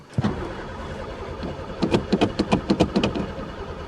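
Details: Pontiac unrun for three years, sticky throttle: uneven starter cranking at roughly three to four turns a second, never catching; cranks but won't start despite gas in carb; owner suspects chewed wires, broken fuel lines or no spark.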